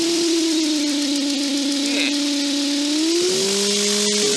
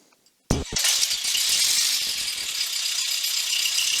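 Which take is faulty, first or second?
first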